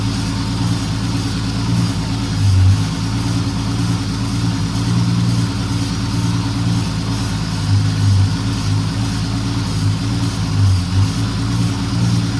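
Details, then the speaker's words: 1968 Dodge Dart slant six, stored 18 years, running with a suspected plugged carburetor idle circuit: steady low idle with a slightly uneven, loping pulse and occasional dips; runs but the carburetor needs rebuilding and tuning. "Well, it actually runs pretty good. Just needs that carburetor tuned up."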